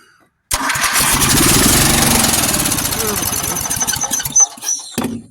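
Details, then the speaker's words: 400 cc engine on a replica build, on golf cart battery after earlier popping attempts: starter cranks, engine fires at once and buzzes along steadily; starts and runs, fully functional. "yeah so we got a running motor cool fully functional 400 cc so that's great"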